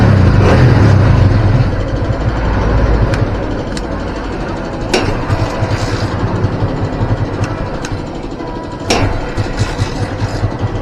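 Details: Barako 175 single-cylinder after carburetor cleaning and tuning, air screw set at 6.5 turns for peak RPM, then idle lowered: even putter of about three pulses a second with a steady rhythm, idling cleanly; smooth idle.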